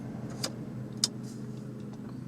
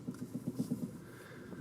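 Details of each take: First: Toyota Camry after battery disconnect and idle relearn, stopped after a drive, AC turned on: quiet smooth idle, steady low hum, a couple of faint early clicks; rough idle fixed, runs like new. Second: Warmed-up Toyota Camry after battery disconnect: barely idling, shaking, low uneven idle with irregular thumps about every eighth of a second, then fading and stalling; rough idle from lost idle learned values, needs idle relearn.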